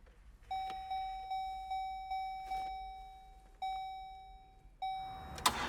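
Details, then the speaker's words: 2002 Buick LeSabre that sat for 3 years, with a replacement battery fitted and being jumped: the door chime dings steadily but there is no starter whirr or click and no crank. Battery suspected of lacking enough power. "sounds like our battery doesn't have enough beans in it"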